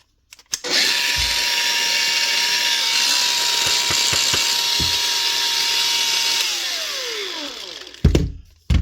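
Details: Makita DGA452 brushed cordless grinder (2021), low on power and spluttering, brush caps melted on: spins up to a steady but fairly low hum with no bite, then winds down; worn, burnt brushes with melted brush holder.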